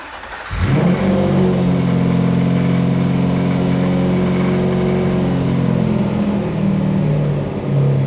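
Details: Cheap iron 6.0 LS V8 industrial engine from an Isuzu box truck: engine catches and settles into a strong, even V8 idle with a deep steady beat, no misses or knocks; runs healthy.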